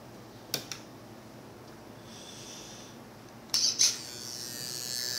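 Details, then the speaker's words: EXI D227F digital steering servo newly installed in a Redcat Tornado S30 buggy, replacing the stock servo. Sharp clicks, then short high-pitched buzzing whines each time the wheels are steered. Noisy but working, faster and stronger than stock. "As you see, it is noisy, but who really cares as long as it works, right? Not bad."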